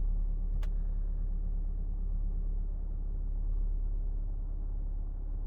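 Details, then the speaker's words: Saab 9-3 after replacing ignition coils for misfires (idle shaking, flashing check engine, jerking and power loss): low, steady even idle hum with no stumbles or shaking; check engine light off, loud rattling gone. "silnik równo chodzi i wcześniej już tak było że po odpaleniu zaczął sam drgać czyli tu mi wszystko latało zwłaszcza ta klapka już mi latała check engines zgasł"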